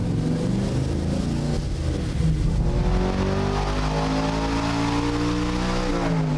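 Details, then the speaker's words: Stroked LS V8 in a Chevy C1500 pro touring truck, full-throttle dyno pull on 93 octane pump gas: strong pull with pitch climbing evenly then easing back, no misfire stutter or knock, a healthy engine. "nestly this thing i mean it's on the dyno but it's like super smooth gets right in it yeah i mean it's really nice for 93 octane plum gas that's that's outstanding"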